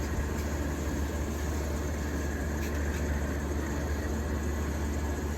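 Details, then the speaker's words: 1953 Fedders Weather Bureau window air conditioner, believed to be about 4,000–5,000 BTU, with a Tecumseh S-series compressor, after electrical upgrade and service with new fan motor mounts. It runs with a smooth, constant low hum, no rattles or squeals. Normal quiet running. "And she's quiet, very much so."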